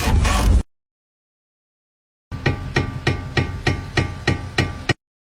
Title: abnormal sound ‼️ #automobile